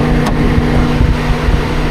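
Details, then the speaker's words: Honda Civic Mk8 with engine cooled down: loud, steady low whooshing roar as the radiator fans spin flat out when they shouldn't; the fan sound stops when the interior heater blower is switched off, so the blower and radiator fan seem linked. "as you can hear, she's loud. That's definitely the fan on, and you can see that the fans are whizzing round. So it's definitely the engine fans."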